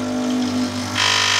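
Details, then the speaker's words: DeLonghi EC820B espresso machine pump running dry mid-use: harsh buzzing drone turns suddenly louder and rattly because the water tank is empty; stop and refill the tank. "If you're in the middle of using it and you hear this awful sound, then it's also another sign that it's empty."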